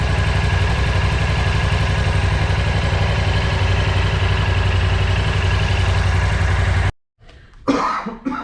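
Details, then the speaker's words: Freshly bought BMW C650GT scooter with a leaking oil seal, run and warmed up: smooth, regular idle beat with no tapping or rattle, then shut off; earlier noise gone, engine apparently fault-free, problem is in the transmission. "Итак, из текущих проблем у нас течет сальник, звук пропал, это очень хорошая новость, с двигателем проблем, по всей видимости, нету, но проблема в трансмиссии."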